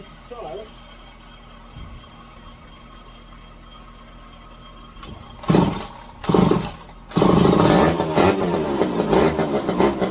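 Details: McCulloch 5-10E electric-start two-stroke chainsaw, revived from locked up, dual stock carb modified fuel line, new filters: a few sputtering catches then a sharp, steady run; normal running.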